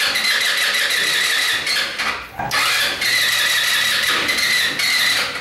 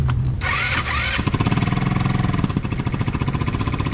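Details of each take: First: MB RX-150 scooter with high 150 PSI compression, which stalls while riding and is slow to start: high-pitched starter bursts, the engine tries to catch but never fires; carbon flakes are holding a valve open; no-start. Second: MB RX-150 scooter after repairing its high-compression no-start with an Italika conversion: brief crank, then a clean start and a steady idle of quick, even exhaust pops; the muffler still needs welding; normal start and idle.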